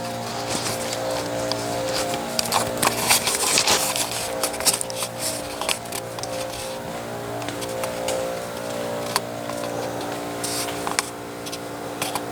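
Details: Husky air compressor in a sound test, remote-started, recorded walking deeper into the shop. Fast, steady chugging with a buzzy hum under footsteps and shop clatter; pump runs evenly, normal.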